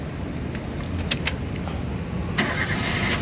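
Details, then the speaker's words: 2011 Daihatsu Xenia 1.3 Xi manual, about 60,000 km, started in neutral: a short crank, then it catches at once and settles into a steady idle; a healthy quick start, with no sign of a weak battery or starter. "mobil yang bagus dia nyalanya langsung jreng. Karena apa? Kalau dia nyalanya tersendat, berarti ada kemungkinan permasalahannya bisa jadi di akinya sudah soak, atau bisa jadi di dinamo starternya yang ini apa namanya, yang problem."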